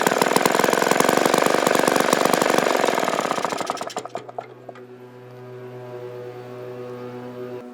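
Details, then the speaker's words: Vintage 1953 ATCO lawnmower engine after servicing, fast crisp even firing about four beats a second then dying away smoothly: normal running. "I used to do a lot when I was younger, especially on cars and stuff like that, and I used to love it, enjoy it, you know, but it was nice to get this run again."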